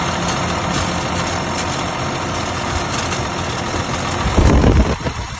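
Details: RSM 2375 tractor diesel running steadily with an irregular knock under the rumble, louder near the end; a knock has developed in the engine, cause unclear.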